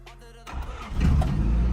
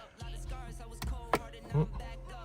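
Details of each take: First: Honda Civic DX with D-series engine, sat 8–9 years, started by screwdriver at the ignition: quiet cranking, then catches in half a second and settles into a steady low rumble, keeps running. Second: Honda Civic DX with a D-series turbo, sitting 8–9 years and started with a screwdriver in the ignition: the starter churns steadily for several seconds before the engine finally fires, a hard start after long storage.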